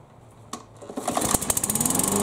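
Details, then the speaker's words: Yard Machines mower after no-start repair, washed, belt inspected, oil changed and new oiled air filter, bail arm clamped; restart next day, one or two pulls then a quick, even popping beat; normal start and run. "I'm gonna go ahead and start it back up let it run for about four or five minutes and see how it does on a warm start here we go"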